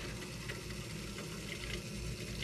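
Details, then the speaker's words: Outdoor wood boiler (Central Boiler CL 6048) after replacing blown Taco 007-F5 circulator pump: steady, even hum with water rushing through loop, no knocks or rattles; pump running normally. "That's working. Oh yeah."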